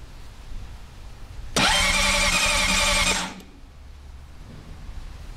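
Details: 2006 Honda CBR600RR, 34,500 miles, that had sat about four weeks: the starter spins about 1.5 seconds and stops without the engine catching. The battery would not hold a load, and replacing it fixed the no-start.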